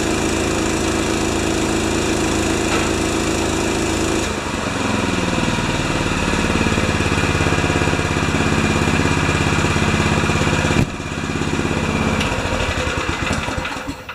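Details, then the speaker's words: Honda-powered wheelbarrow air compressor 'Jenny 1' after an oil change, adjustments, new Kevlar belt and new gauge, bleeding air. It chugs steadily, dips as the compressor loads up, then settles and pumps evenly: healthy running under load. "Oil change, adjustments, new belt, Kevlar belt, and she runs like a Swiss watch."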